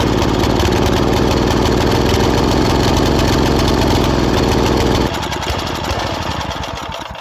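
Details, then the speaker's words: Old tiller engine restarted after the oil was checked for level and water. Rough, loping single-cylinder idle with an uneven beat that then winds down; the leaking carburetor runs too rich even at the minimum setting. "And it's running way too rich. And I've set this to the minimum, but it's still running so rich that it's practically flooding the engine out."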